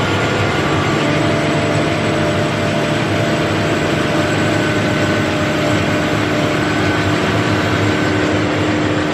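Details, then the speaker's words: Massey Ferguson 40 diesel combine, about 1996, sat 3 years, just revived after fuel system bleeding: steady even drone and low rumble with no knocks or misses, running on its tank, slightly smoky; normal running. "so she's running nice you know running off it's on diesel tank and um seems to have sitting down smile the smoky but that will clear it up after a while"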